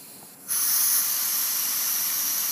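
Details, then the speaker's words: Shop air test of a finished homemade 5/16" globe valve: faint hissing from leaky joints, then a loud, steady, blower-like rush of air as the valve opens. With the valve closed no hiss comes from it, so it seals well. "you can hear the air hissing out just like a blower sounds and cut it off there's some miscellaneous hissing from some of the leaks but nothing from there so I think I have a good seiling valve"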